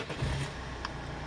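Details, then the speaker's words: 2013 Citroen C8 2.0 diesel, 163 hp, automatic; belts, rollers replaced 20,000 ago, oil and filters recently changed; low, even diesel rumble at idle, runs quietly with no knocks, squeaks or rattles; normal idle. "працює тихо ніяких шумів скрипів рипів нічого немає"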